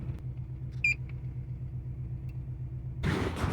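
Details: 2005 Nissan Armada V8 shaking at idle: low, lumpy, pulsing rumble with a short beep; code P0308, cylinder 8 (bank 2, near firewall) misfiring, fixed by replacing ignition coil and spark plug.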